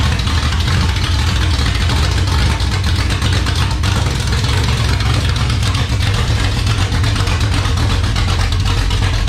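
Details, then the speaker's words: 1978 Dodge Warlock truck, 360 small-block stroker V8 with high-volume oil pump, restart after raising idle: deep even rumble, smooth firing, crisp throttle blips, no knocks or misses; 75 psi oil pressure at idle, over 80 revving, healthy. "oh that was pretty impressive that thing sounded great wow we were getting 75 pounds of oil pressure at idle"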